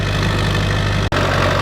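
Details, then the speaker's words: Duramax diesel with hook stacks, jump-started after its battery was unhooked about three weeks: deep, steady idle rumble with no knocks or misfires while warming up. Normal diesel idle. "ounds healthy. We'll get all the stuff out of the way. Let her kind of warm up."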